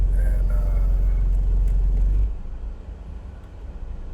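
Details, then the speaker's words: Engine after replacing spark plug and coil pack: deep, even rumble pulsing three to four times a second, then dropping away; idle surge much calmer, no longer losing power around 3,000 rpm, though surge in drive remains. "it's running a lot better. I I had a problem with the uh RPMs getting up to around 3,000 and uh it would just lose power. Well, it's not doing that anymore."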